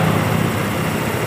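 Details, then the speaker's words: 2013 Honda Beat FI scooter that had stalled with lost ignition, new battery fitted; with the original ECU diagnosed as damaged, it now starts at once and idles with an even, continuous low hum, no stumbling; fuel pressure normal above 10. "nah dan kalian bisa lihat dan dengarkan Ini motor langsung hidup"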